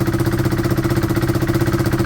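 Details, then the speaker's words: KTM motorcycle with its original exhaust refitted and sealed with exhaust gum at the header: firm, evenly spaced exhaust pulses at steady idle, no puffing or ticking; exhaust sealed, normal idle. "Let's see if it starts and it sounds sealed. The gum will set as well. Yeah, that sounds fine."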